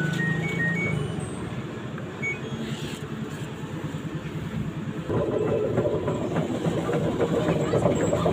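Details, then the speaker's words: LG 15 kg washing machine with loose, wobbly drum during spin: coarse low uneven rumble growing louder; likely worn drum bearing, to be replaced. "Nah, ini kalau drum oblak begini nih kemungkinan besar bearing amrol."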